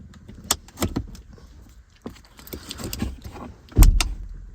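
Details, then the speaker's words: 2014+ Jeep Grand Cherokee or Dodge Durango park override: rattling while the lever is pulled fully up, then one solid low clunk as the cable pulls the parking pin out, same as shifting to neutral; normal release. "You hear the clunk? It literally pulled the parking pin out. It's the exact same thing as shifting your transmission into neutral."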